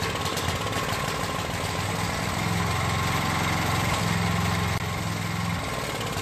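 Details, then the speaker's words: Coleman Powermate generator after valve lash adjustment, recoil cover and fuel tank off, powering a light: small single-cylinder engine with a wavering drone, idle hunting; owner suspects the carburetor needs attention and the idle needs adjusting. "well luckily it makes power but it looks like the carburetors gonna need some attention and the idle looks like it's gonna need to be adjusted as well"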